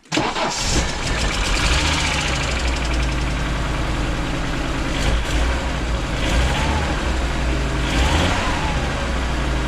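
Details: 1985 Audi GT Coupe, petrol engine that sat unused for years, idling lumpy with periodic stumbles of a really bad misfire; new plugs and wires didn't help, compression later found good, so owner suspects an injection or ignition problem.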